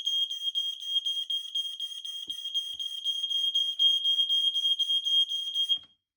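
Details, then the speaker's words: New EI 2110 multisensor fire alarm on a radio-link base, set off by smoke and tested with an EI 410 remote: loud shrill alarm pulsing about four times a second for nearly six seconds, then cut off. Smoke alarm sounding normally. "Oh, that was loud as hell. That was loud. Very, very loud."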